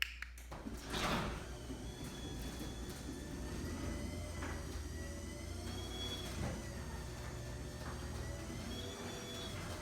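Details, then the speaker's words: Garage door after lubricating hinges, rollers, springs and bearings: glides with a low steady motor hum and only faint soft squeaks, much smoother and quieter than before. "remember lubricating your door makes it run much smoother so make sure to lubricate your hinges rollers and springs and the berries and everything will sound much better"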